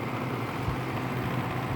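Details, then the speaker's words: LG window AC running on high fan in afternoon sun on the condenser: steady low hum with an even, unchanging tone and gas flow audible, the compressor running smoothly with a slight rattle. "so let's start off the compressor i guess you can hear the gas flowing"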